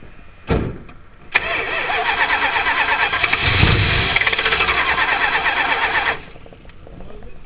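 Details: 1978 Chrysler Cordoba with a hard-start problem, choke held partly open by hand, possibly flooded: long steady cranking at about three turns a second that never catches. Cranks but won't start.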